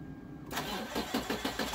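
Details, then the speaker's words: Rebuilt 6.7 Cummins diesel tow truck after a valve adjustment, CCV filter and valve cover gasket job, started ice cold: it catches after a short crank and settles into a steady, even rumble at fast idle with no misses. "up it's running smooth Hing like a kitten I tell you that's she's ice cold has no air little fast idle action she's warming up"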